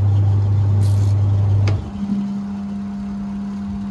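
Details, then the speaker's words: Washing machine that had a timer fault (stopping mid-run, turning one way only), now running clockwise and anticlockwise: deep steady motor hum drops out, then a higher even tone takes over; wash motor reversing normally. "यह machine अभी अपना दोनों तरफ चालू हो गई है य क्लक वाइ भी चल रही है एंटी क्ल ल चल रही"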